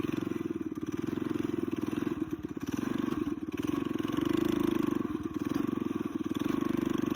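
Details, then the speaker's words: Coleman BT200X mini bike rebuild with torque converter, aftermarket exhaust, 24mm carb replacing stock and billet flywheel, on a test run: single-cylinder buzz rising and falling smoothly with throttle, no misses; running well, faster than stock. "Definitely faster than a stock carb on here. So yeah, that was a great test run."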